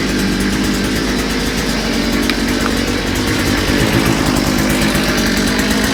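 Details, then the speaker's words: Small engine with a new carburetor, after correcting reversed fuel pickups and removing a kinked fuel line, buzzes at a steady speed without surging, sputtering or dropping off; normal running. "There it is. Sounds good."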